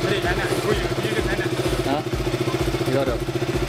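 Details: KTM RC/Duke 200/390 single-cylinder idling after the starter relay's corroded contacts were sanded clean: a steady, even thump of three to four beats a second with no clicking or stumbling. The starting click is fixed and the engine sounds healthy.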